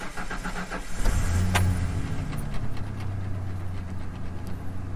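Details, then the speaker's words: 27-year-old OBS Ford truck, 4.9L inline six, 177,000 miles, started from the cab: short crank catches cleanly, then a low even idle hum with no knocks or misses; normal start and idle. "Runs fantastic. 177,000 miles."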